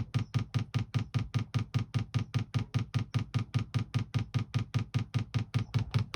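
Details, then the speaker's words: 2kW Chinese diesel heater being fitted in a VW T4 camper: after manual priming and slow filling of the fuel filter, it is switched on properly and the dosing pump starts pumping with a very even dull ticking, about 2.5 per second, priming normally. "I've got it as far as I can tell all the way through I've just turned it on again properly and the pump's just starting to pump"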